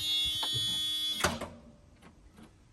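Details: Old Scania airfield refuelling tanker, out of gear on jump pack and added batteries, non-running: a steady shrill warning buzz for about a second cuts off with a clunk as the key turns while cranking; engine doesn't fire, safety cutoff suspected.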